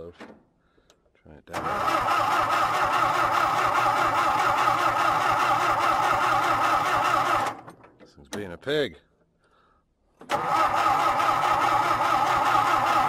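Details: John Deere, cold winter start with fuel pouring out of the carb: long bursts of steady cranking at about three turns a second, never catching. The cause is unknown, and the owner later suspects water in the points.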